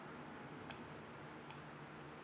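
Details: BMW N52 intake Vanos solenoid (fault 2A82) removed and bench-actuated: sharp isolated clicks about once a second in a quiet room; the solenoid switches and the valve moves to its end normally, though cleaning did not fix the fault.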